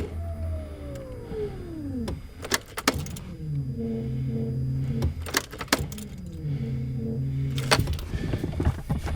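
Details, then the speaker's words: Honda Civic EF unstarted for over a year, key on before first start: steady low fuel pump priming hum in short stretches between clicks and rattles; it then started. "Okay. And then, moment of truth. This is disgusting, by the way. What do you think? You can hear the fuel pump."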